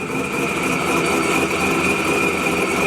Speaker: right yeah that thing sounds good doesn't it sounds so good